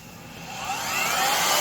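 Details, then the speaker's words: Craftsman (Skil-built) 12 A / 1440 W variable-speed router after fixing missing motor pretension that let the bearings vibrate and fail: smooth high-pitched whine climbing steadily to full speed, free of rattles; sounds much better. "Anyway, certainly does sound a lot better."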